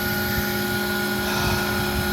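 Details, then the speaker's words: Arrma Granite RC truck with a 3S brushless system and a cheap aftermarket slipper clutch: a steady high whine with a rough rattly buzz and heavy cogging, no pickup. The slipper clutch is slipping, possibly from a worn clutch plate. "so that sound is the and we're getting crazy amounts of cogging but it's the sound is the slipper clutch just doing that"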